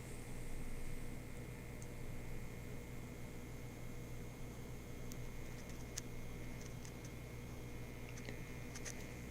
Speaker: the Transformer hum is a soft smooth 60 HZ hum not very fade far away it's a solid hum but it's not very loud